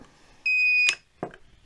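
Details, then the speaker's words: Budget garden solar setup, inverter on 24 V battery bank discharged to about 23 V, controller cutoff set at 23.2 V: single shrill steady half-second beep, then a couple of dull knocks; inverter low-battery alarm, though its documented trigger is 10.5 V. "c'est que le convertisseur, lui aussi s'est mis dans un mode alerte. C'est lui qui sonne, là, vous l'entendez."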